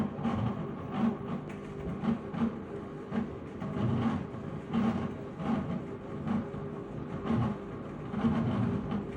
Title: Strange noise when washing